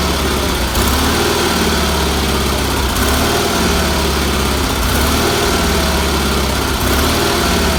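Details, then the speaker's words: Red Roper with a BFM twin-cylinder engine, just started after a new fuel filter, fuel line and pulse line and some carburetor tuning. It runs with a steady chug and a faint periodic swell in the exhaust. It runs properly. "I am very very happy with that you turn the key on won't meter works the lights work I'm very happy with that motor runs good had to do a little tuning on it but that's what happens every time you do it"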